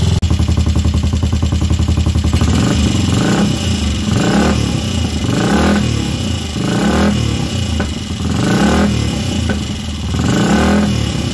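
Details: Royal Enfield Crusader, first start in 27 years since last ridden in 1995: single-cylinder thump at about four pops a second, blipping up and back with throttle; normal running.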